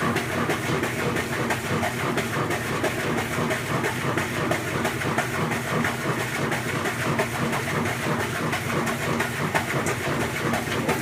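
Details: Maytag Centennial washer agitating: abnormally loud steady clacking about three times a second over a busy mechanical churn; owner suspects a bearing or similar, cause unconfirmed.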